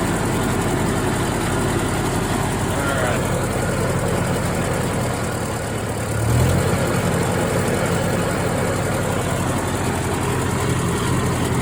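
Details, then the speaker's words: Old Ford tractor running a brush hog after servicing, mower recently sharpened: steady diesel rumble with the mower spinning evenly, a brief rise in load near the middle, no knocks or grinding; running well. "there we go sounds like she's working pretty good"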